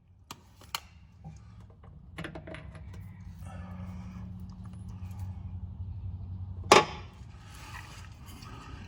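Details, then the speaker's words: Cub Cadet 2544 idler pulley, removed and spun by hand: a rough, gritty rasp between handling clicks; the bearing has shelled out and grinds badly. "That pulley shelled out. Man, that thing's been shelled out for a minute. How do y'all not hear that? Man, that thing's just grinding like crazy."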